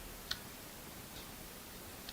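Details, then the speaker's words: Room radiator in a quiet room near a USB microphone: a few sharp, isolated ticks spaced irregularly; intermittent radiator clicking as it heats or cools. "Okay, so it's likely you're going to hear the clicking, which is basically a radiator clicking, so I can't really do anything about it except if turn it off."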